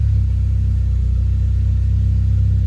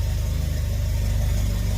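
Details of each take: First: Mitsubishi Eclipse GSX 4G63, complete cold start after fixing a vacuum leak: keeps itself running with no pedal, settling into a low steady even idle with no hunting or misfire; sounds healthy. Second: Mitsubishi Eclipse GSX 4G63 first start, vacuum line off the manifold plugged: low, lumpy idle with uneven firing pulse, running very rich; owner may turn fuel pressure down and suspects a remaining boost leak.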